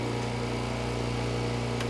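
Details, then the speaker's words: Heat pump compressor with 6-ton Soft Start Home, on generator power: generator hum holds steady as compressor starts smoothly, no bogging; 18 A inrush, 44 A peak, normal start. "Soft start home on generator power. Nice. It did it."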